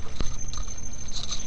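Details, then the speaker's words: Bedini SSG pulse motor: a new rotor with 4 Nd magnets coupled to an old rotor with 6. A burnt resistor was replaced by a pot and it draws just over an amp. The coil runs warm and gives a steady high-pitched squeal over faint motor hum. "So basically I'm having this squealy problem and warm coil now."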